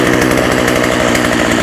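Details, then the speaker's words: Husqvarna 36 chainsaw, hot, after carb clean-out and fuel line replacement: steady, even idle with no hunting or stumbling; idle described as nice now. "That idle's nice now. Beautiful."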